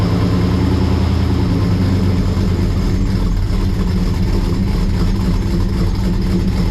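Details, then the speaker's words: Cold start of a 1955 Chevy Bel Air four-door with an LM7 5.3 LS V8 and Comp Thumpr cam, not yet remote-tuned: fires and settles into a steady deep idle with a mild classic-car lope, nothing wrong heard. "I put a comp thumper cam in it, so you'll hear that in a second. Fire up, so it actually has a nice little lope to it, but nothing crazy, just enough to kind of give it that classic car, you know, sound."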